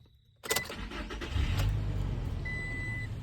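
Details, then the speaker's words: 2021 Toyota Tacoma after crankshaft position sensor replacement and a newly made key (red security light now off); quick crank, immediate catch and smooth steady idle: normal start. "started up like a charm I don't know if this could help somebody but hopefully it does"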